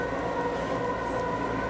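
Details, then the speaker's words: Metro train wagons passing with no motor noise: steady high metallic squeal from wheel-on-rail friction. "agora por exemplo só os vagões estão passando não tem mais o ru do motor mas tem do atrito com a da roda"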